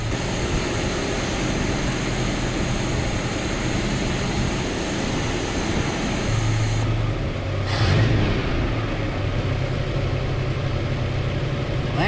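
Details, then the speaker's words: Truck after a carburetor swap, with a vacuum leak found by spraying brake cleaner and loose carburetor bolts, oil pressure 50 psi: steady, even drone that takes off without stumbling; runs smoother, though it still dies at times and needs attention. "I take that back it is running better because it's a lot easier to take off without it stumbling oh yeah she's definitely running manner"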